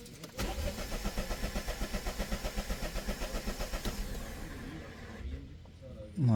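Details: Peugeot 308 at 131,000 km that refuses to start, codes P13B3, P3076, P1632, P1B40: even starter cranking about four pulses a second, engine never fires; crank no start, engine ECU internal fault suspected, not confirmed.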